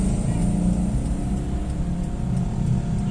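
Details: Toyota Kijang 5K petrol engine after replacing the distributor (delco) centrifugal governor spring, revved: deep, even note with no stumble, popping or misfire; pulls cleanly and sounds healthy, previous weak and powerless running resolved.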